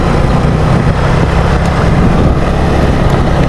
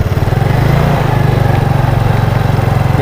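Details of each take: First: Yamaha Mio Sporty carburetor scooter, hot, half throttle on a road test after fitting an original CDI: steady even engine drone without stutter or misfire, wind rushing over it; the earlier hot half-throttle bogging is gone, running fine. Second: Yamaha Mio Sporty carburetor scooter after a test ride, engine nearly stalls at idle and coughs from the carburetor on deceleration: uneven lumpy single-cylinder pulse dipping toward stall; carburetor to be removed and checked.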